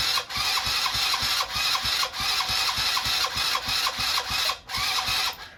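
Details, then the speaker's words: 70cc Chinese quad being revived, cold start on full choke with fuel from a rinsed tank through brittle line: ragged single beat about three a second, stumbling and fading out; engine stalls after cold start. "Sounds like she's dying on me. Yeah, I think we're dying over here."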